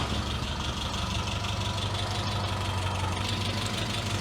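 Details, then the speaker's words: Classic Mini MPI after cylinder head rework for a leak, running just after first start with one vacuum hose left disconnected. Low, lumpy, uneven idle with a hissy top end; rough running from the vacuum leak. "forgot one of these hoses oh didn't like that at all"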